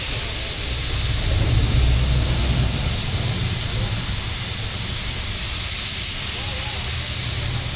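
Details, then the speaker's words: Mitsubishi Pajero on a trip, engine running: steady sharp hiss over low engine rumble; coolant leaking from one side of the radiator top tank, which has loosened. "പുള്ളി എന്തോ പറഞ്ഞ റേഡിയേറ്ററിൻ്റെ top complaint ആണല്ലേ? അത് കണ്ടില്ലേ അവിടെ തന്നെ നമുക്ക് top ഈ ഒരു സൈഡിൽ നിന്നാണ് വരുന്നത്. ടോപ്പ് ഇളകിയിട്ട് ആ ടോപ്പിന് വരുന്നത്."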